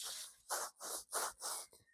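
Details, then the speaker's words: Volkswagen Polo during lift kit install, strut in spring compressor: rough, gritty scraping in bursts as the strut top mount bearing is twisted by hand; bearing is worn, being replaced with new top mounts. "Shouldn't sound like that. It should sound like perfect Bosch."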